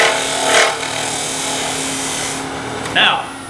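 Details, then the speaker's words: Bowl scraper making a light finishing cut from the bottom up inside a wooden bowl: two brief, high ringing buzzes as the thin wall chatters against the tool edge, which a hand on the outside dampens. "the end of that cut oh you heard some vibration and that's because this is thin enough out here that it was doing this against the edge of the tool so I needed to keep my hand on the outside to dampen that"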